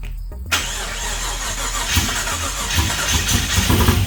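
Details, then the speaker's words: Blazer V8 on first start after getting fuel: catches at once and settles into a deep, slightly lumpy burble, likely running rich; starts easily. "that's running i told you it'd be no effort to get this thing to start all it needs is fuel and it's gonna run"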